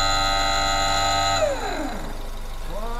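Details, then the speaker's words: Car ABS pump motor activated with a scanner while the engine runs: a clean high whine that cuts off, winds down smoothly, then spins back up evenly. The ABS pump is still in good condition. "Ini tadi kan posisi mesin hidup ya di aktifitas pakai scanner suaranya seperti itu masih bagus nih masih bagus"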